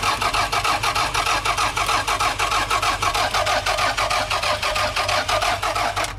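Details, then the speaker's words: Cheap used car, has fuel in it. Starter cranks steadily at about three turns per second but the engine never catches. Cranks but won't start; owner suspects no fuel or no spark. "Now that to me sounds like it's not getting fuel or it's not getting spark."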